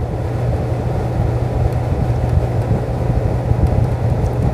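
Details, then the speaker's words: Window air conditioner set to fan only with the compressor off: steady low whoosh of air and a smooth, even fan hum, no rattles or scraping; blower running normally. "अब यहां से हम सिर्फ पहले fan पर चलते हैं अभी देखिए इसको हमने ऑन किया और तुरंत में ब्लोअर दिखाऊंगा आपको ये देखिए ब्लोअर स्टार्ट हो गया चल रहा है ना"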